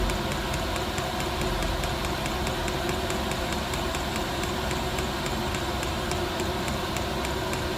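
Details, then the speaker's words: Newly fitted diesel heater in an LDV Convoy, first start with glow plugs working: rapid fuel-pump ticks, three or four a second, over a rough rumbling burn; running unevenly, owner thinks it has not primed properly and needs more fuel pumped through. "well it seems to be working I think I've just got to pump some more fuel through CU it doesn't seem to Prime proper"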